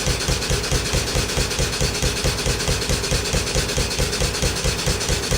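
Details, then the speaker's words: Restored Stuart No1 steam engine running on about 50 psi steam from a rocket stove boiler: a regular chuffing beat about 136 per minute with a sharp knock on each stroke from a worn pin. "can hear that pin, that's for sure."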